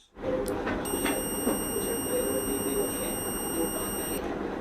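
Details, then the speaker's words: Multimeter set to continuity mode with its probes shorted together, before testing the coil of a 775 DC motor (11.8 V) with a worn carbon brush: a single steady high-pitched tone for about three and a half seconds, confirming the mode works. "তো এখানে সংযোগ করার পর আপনারা কিন্তু sound শুনতে পেলেন। অর্থাৎ এখানে এই মোডটি চালু হয়েছে।"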